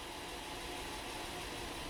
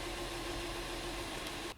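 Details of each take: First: 2012 Honda Pilot 3.5L V6 EX Touring 2WD with flashing check engine light, code P0303: uneven idle with an occasional stumble every few revolutions, a steady cylinder 3 misfire felt at the steering wheel. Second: 2012 Honda Pilot 3.5L V6 after fixing cylinder 3 misfire (P0303, worn spark plugs): steady even idle with no stumbles or shaking, scan tool showing zero misfires; normal idle, confirmed fix.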